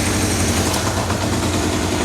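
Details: 1978 Kawasaki KZ650 four-cylinder idling after carburetor synchronization with a Digi Sync tool, readings 61, 62, 63, 60; steady, even idle with no stumble or hunting, carbs well balanced; normal idle.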